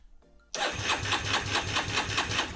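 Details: 2006 Yamaha Raptor 350 single-cylinder ATV after a new starter clutch was fitted, oil drained: starter spins the engine over steadily at about five pulses a second, no jamming, grinding or binding; normal starter cranking.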